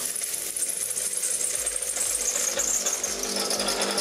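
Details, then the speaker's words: Saeco Incanto HD8911/09 espresso machine after burnt-electronics repair, running water after steaming to cool the heater: steady high buzzing hum pulsing about three per second, no rattles or strain; pump working normally. "no to nam działa to teraz OK puśćmy wodę żeby wychłodzić grzałkę"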